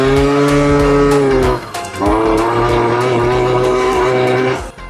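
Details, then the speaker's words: Piaggio Typhoon two-stroke scooter on road test after Stage 6 CVT upgrade with stiffer contra spring; buzzy revs sag and drop out twice before recovering, spitting and bogging; suspects contra opening too quickly, lighter rollers considered. "Spitting and farting. Let's see if it clears off. Don't feel as aggressive."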